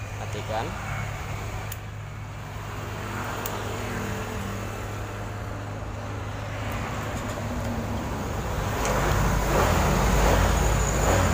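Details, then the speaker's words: 2018 Honda Vario 150 (same as Vario 125 LED) that would not crank, only clicking at the relay beside the battery; after cleaning the relay contacts, the engine catches right away and settles into a steady, even putter: normal start and idle. "matikan terdengar Mas Bro statennya alhamdulillah sudah bisa sekali lagi"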